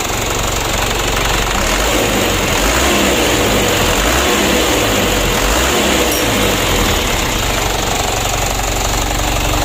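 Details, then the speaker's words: Mitsubishi Canter diesel after injection pump service with plunger replacement, previously hard-starting and unable to rev: steady, even diesel clatter at idle, no misses or stumbles, constant level; healthy normal idle after repair. "ini travelnya yang tidak mau digas sama sekali ya sulit hidup Nah setelah hidup tidak mau digas ini sudah kita service injection pump nya"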